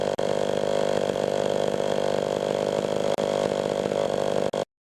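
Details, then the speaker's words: Pioneer 11-60 two-stroke chainsaw after long storage, ignition points readjusted and sanded, cutting test: high steady wail holding pitch through the cut, no bogging or stuttering; normal running under load. "Oh seems to run for good actually I'm impressed I'm surprised that after all these years in storage which is running good"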